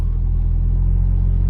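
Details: Petrol car, R32, after jump-starting a flat battery (previously hard starting, poor idle, ECU clicking): steady, even low-rumble idle, no knocks or misses; slight black smoke from exhaust.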